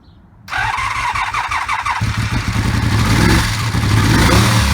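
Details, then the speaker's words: 1984 Honda V65 Magna VF1100C barn find with open pipes, first start after sitting: catches after brief crank, then runs lumpy and uneven with a loping beat; owner believes it is running on only two cylinders, smoke from bike spray burning off. Engine misfire. "yeah I'll still run it on too so I couldn't remember exactly where I'd left that one"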